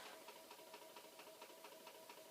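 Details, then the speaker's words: Commodore C2N datasette after a flood, on fast forward (flipped tape rewinding) while a 1541 runs a performance test: faint steady hum with a regular tick four or five times a second, labouring like earlier failed fast-forwarding; tape troubles suspected, not confirmed. "so it may be that there are tape troubles because you see the sounds that it's making are similar very much to the fast forwarding sounds that failed before"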